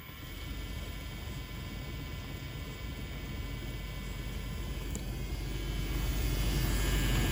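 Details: LG dishwasher circulation pump: loud rushing rumble with a steady whine swelling over the clip from worn bearings; bearing replacement lasted only four months, faulty seal leaking water suspected as the root cause.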